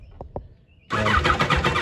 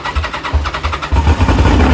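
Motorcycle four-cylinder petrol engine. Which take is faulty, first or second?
first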